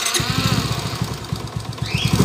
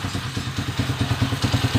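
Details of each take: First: 2017 Suzuki Smash 115 single-cylinder motorcycle: rough, lumpy idle with a shaking beat and excessive vibration, internal parts clashing; engine to be torn down, timing chain suspected, crankshaft found bent out of true. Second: 155 motorcycle after repair (crankshaft bearing, timing gear, follower, pushrod, crankshaft alignment, clutch damper replaced): earlier loud clattering gone, now a steady, even single-cylinder idle with soft regular pulses, no ticking; engine healthy.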